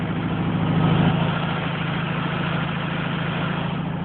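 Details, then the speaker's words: Air-cooled VW Beetle, which previously would not idle without holding the throttle. Fast, even idle of about three pulses a second with no stumbling, running high on the working choke. "So I mean, it idles. I mean, I drove it to Stardust Diner, which is a diner quite far away actually. It's idling kind of high right now, but that's just the choke."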